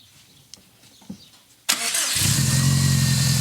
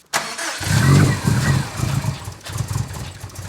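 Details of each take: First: 2015-2020 Subaru STI 500 WHP build, second first-start try after refitting stock MAP sensor: faint clicks, engine catches at once, settles into steady even idle, no issues; normal start. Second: 2015-2020 Subaru STI 500 WHP build, first start attempt: starter chugs about three pulses a second but never catches; tune expects different MAP sensor; crank no-start.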